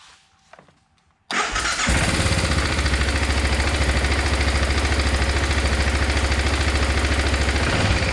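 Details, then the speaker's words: 2006 BMW F650GS single-cylinder, just after battery replacement: cranks briefly, catches cleanly, then settles into a steady, even thump at idle. Normal start and idle. "just what it's supposed to sound like"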